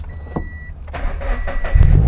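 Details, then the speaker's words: Subaru BRZ after alternator replacement, following failure while driving with battery light on: chime, short crank, engine fires straight into steady low idle; clean start, charging confirmed. "Oh, it works. Perfect. It's working, so yeah."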